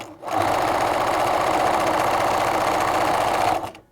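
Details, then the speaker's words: BERNINA sewing machine after oiling the dry hook and hook race: even, quick stitching rhythm about four per second, light and smooth without clatter or hook rattle; running quietly and healthy. "sounding a lot better there now so that's it really that's all you really need to do to quickly quieten your machine down"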